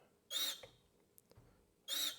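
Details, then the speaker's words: Number one injector nozzle from a D6 9U diesel on a pop tester: two sharp high squeals, breaking right at about 800 PSI with no leak-off. A healthy nozzle. "it's got a good squeal breaking right at 800 PSI so that's uh when I say braking pressure that's where it starts"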